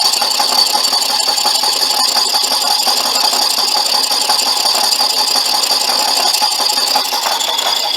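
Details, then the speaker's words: Boring out the brazed-repair cylinder bore of a '59 Flathead engine: harsh, uneven high-pitched rattling once or twice a second as the cut becomes intermittent; boring bar chatter on an interrupted cut. "not too happy with it with an intermittent cut that sounds almost like a complete cut down the bottom there"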